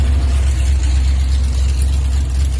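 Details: Car "Project ENRON 64" (Twin J edition) running well with timing set to 32 degrees: deep, even V8 rumble holding a steady beat with no misses or popping; normal running.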